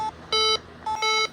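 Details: Bosch B9512G security panel, all areas armed with exit delay set to 60 seconds: two short bursts of bright high beeps about 0.6 seconds apart, clean and steady, the keypad counting down the exit delay.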